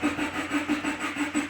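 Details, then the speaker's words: 2013 Subaru Impreza Limited wagon with an FB20 engine, after an oil and filter change. Cranked with the throttle floored so the injectors don't fire, priming oil at low speed. An even starter chug of about six beats a second. Normal. "So on this car, if you put your foot to the floor and crank it, it won't fire the... Copyright. It won't fire the injectors. That way we can prime it at low speeds like that."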